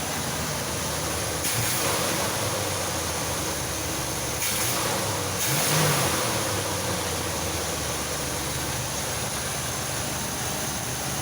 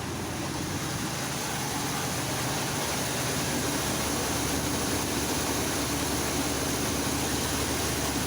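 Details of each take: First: 1985 Chevy C10 V8 just after a carburetor replacement: steady, even burble with a couple of light throttle blips and no stumble or miss; the new carb is running it fine with no leaks. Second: 1985 Chevy C10 V8 after carburetor replacement: steady even idle set too high, fast busy note, before idle is turned down.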